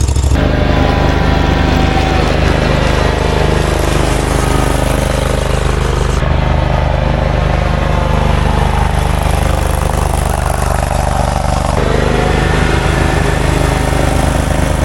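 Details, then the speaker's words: Zero-turn mower with the key on and the PTO pulled up; loud, constant engine drone holding steady with no misses, knocks or grinding; the PTO engages and grips well and the engine runs normally. "well that sounds good man listen to that she's gripping good real good"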